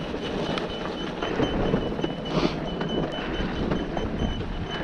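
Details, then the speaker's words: Kawasaki KLX 365cc dirt bike coasting on a steep hill with the engine shut off: a thin, high chirp repeats about every half second over the rolling noise. The rider first feared it came from the motor, but it is the front wheel squeaking. "if you hear that squeak i was worried that was in the motor that's why i shut the motor off it's the front wheel"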